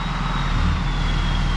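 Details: 6.7 Cummins in a 4th Gen Ram started right after changing both fuel filters: steady, even low diesel rumble with a faint high whistle and no stumble or hunting; healthy idle, no leaks found.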